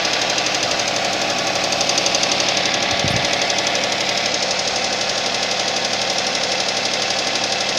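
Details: Suzuki Vitara cold idle: steady, sharp knocking about four times a second, a clear cold-start engine knock, cause still to be found.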